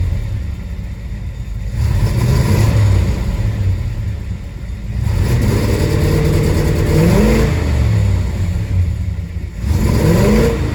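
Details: 1967 Chevelle SS 396 V8 that began misfiring after a dead battery: deep revs rise unevenly and stumble as the throttle opens, a hesitation and misfire under load with the cause not yet found.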